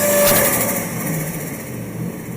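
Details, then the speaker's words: Turbocharged TVR Chimaera V8 on a hub dyno above 3000 rpm under boost: a sharp whoosh over the labouring engine, then the pull fades as the intercooler boost line blows off; not the blow-off valve. "That's not a blow off valve, that was the sound of the intercooler boost line blowing off."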